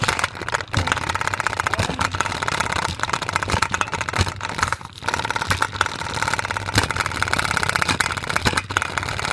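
Fast, continuous rattling bangs with no letup, a container being thrown around inside; the load is unbalanced.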